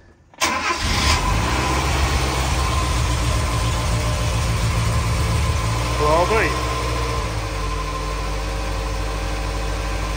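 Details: Mazda E1600 Bongo ute being brought back to life, choke on, fuel pump running: a brief crank, then the engine catches at once and settles into a steady, even idle with one short blip.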